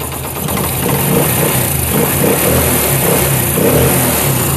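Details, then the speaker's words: Honda CD70 Euro2 after cam bearing change and tappet adjustment with 0.08 gauge: small single at even idle with a blip or two, no top-end tapping; cam noise gone. "तो दोस्तों bike हमारी यहाँ पे start हो चुकी है और इसकी आवाज़ भी बिल्कुल ठीक हो गई है, कोई किसी किस्म की इसमें परेशानी नहीं है आवाज़ की।"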